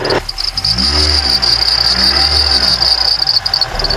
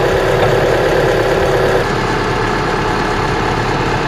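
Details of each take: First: Mitsubishi Outlander accessory drive belt squealing with a steady high whistle at idle, slipping at -5°C outside temperature; the belt was replaced 10,000 km earlier, and a belt conditioner spray is applied as the fix. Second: Mitsubishi Outlander petrol engine at -5°C outside, belt replaced 10,000 km earlier, idling smoothly with steady hum and no squeal after the whistling drive belt was sprayed with belt conditioner.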